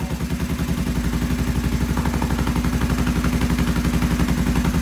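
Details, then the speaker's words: Vintage British twin motorcycle, first start with the choke on and ignition timing possibly 180 degrees out: loud, lumpy, lopsided thumping about four beats per second. Only one cylinder seems to fire; misfire cause unconfirmed. "Sounds like only one cylinder fired."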